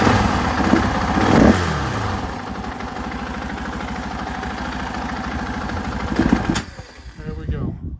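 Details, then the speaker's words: 2024 KTM 500 XW-F on the stock ECU and stock emissions parts, before fitting a Vortex ECU: it catches reluctantly, runs rough, stumbles and dies when the throttle is whacked. Stock ECU fuelling causes the flame-out. "down you hear that stumble in [Applause] there yeah it does that when you're riding it too if you whack this throtle just kills it"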